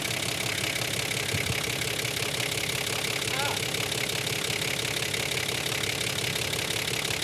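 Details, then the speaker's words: Engine idling just after Seafoam was added to the crankcase, before it was added to the fuel tank: busy idle with a rapid, fairly regular ticking clatter of about three per second. An unusual noise that appeared after the crankcase treatment, cause unclear. "Yeah, that's a fun noise. So, we've added the crank case and now it's making a funny noise."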